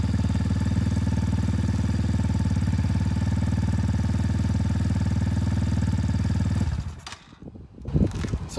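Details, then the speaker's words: X-Pro Titan 250cc dirt bike, first start after sitting all winter since November, cold: steady single-cylinder thump at fast choke idle before settling as choke is cut; normal cold idle on choke. "to warm up that's what the choke i just cut the choke off i'm letting it warm up some"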